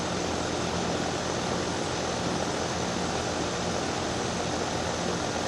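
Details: Daikin DX14 2-ton outdoor unit scroll compressor on startup: loud, steady roaring hiss with no let-up, far noisier than a healthy compressor.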